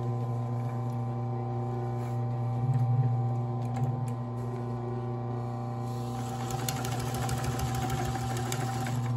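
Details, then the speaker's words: Consew 110–115 V clutch motor on an industrial sewing machine, stitching poplin: a loud, steady low drone runs constantly, even when not sewing, with clattering bursts of stitching over it; to be replaced with a Consew servo motor. "if you can hear the machine it hasn't stopped then it keeps on going and it's loud which is why i'm gonna put a motor from console"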